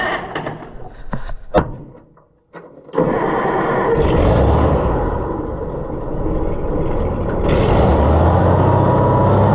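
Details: Oliver 1650 tractor engine just after governor replacement, first start: cranks and catches, then runs up to a high steady roar and surges higher instead of settling; revs up too much, new governor needs adjusting.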